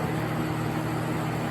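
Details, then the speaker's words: Vintage Sears Coldspot 28 dehumidifier after rewiring and switch cleaning, run with shroud off, drawing about 5.9 amps at 117.6 volts; steady low compressor hum, smooth fan whir, no knocks, coil getting cold; normal running. "okay it's running and yes I know shouldn't really run this thing with the Shroud"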